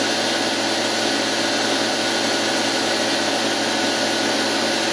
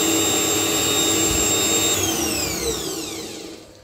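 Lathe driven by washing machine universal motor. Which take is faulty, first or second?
first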